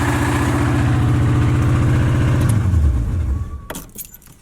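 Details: Big-block Chevy with a spun rod bearing; heavy rapid knocking, nearly four per second, hammering through the idle until shutdown. Rod knock.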